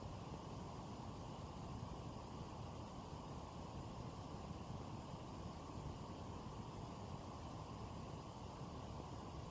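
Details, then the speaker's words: Cooler Master Hyper 412S 120mm aftermarket CPU cooler in a gaming PC under light gaming load: soft, steady airy hush with no whine, ticking or bearing rumble; far quieter than the stock cooler, running normally. "we've got new cooler master hyper 4 1 2 s CPU cooler installed into the gaming PC and oh my god is so quite compared to the last CPU cooler stock one"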